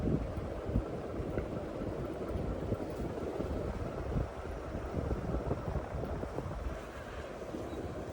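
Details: New-in-box April 1990 48-inch Bay Breeze View fan model V48R running on high: steady rushing whoosh of air with low even rumble, no ticks or rubbing; normal operation.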